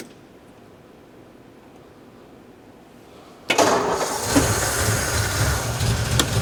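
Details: 1953 Ford Customline Flathead V8, three-on-the-tree: quiet, then fires and catches at once, settling into a steady even idle with lumpy low beat; normal start despite a fuel leak at the bowl.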